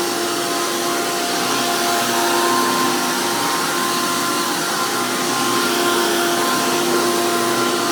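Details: 2002 Hoover PowerMax II U5246-940 Elite upright vacuum with 12 amp motor and 20-blade fan impeller, after motor work: loud, steady high-pitched roar with even whine, no grinding or wobble; runs strong with high airflow, normal healthy motor.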